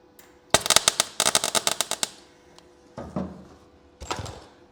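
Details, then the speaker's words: Ford Fiesta RS Turbo sill repair, MIG tacks on a new section; short bursts of sharp, uneven crackle and pops with gaps, one tack sounding bad before a better one. Irregular MIG weld sound. "That didn't sound good, did it? That's better."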